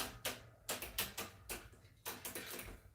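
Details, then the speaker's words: Schwinn AL Comp bike, rear derailleur after fitting a Microshift Advent X and adding a chain link: irregular bursts of sharp metallic clicks as the chain won't drop a cog; derailleur adjustment way off, possibly bent hanger. "That's way off. Let's get that in there where it's supposed to be. Don't know why it's not going down like it needs to."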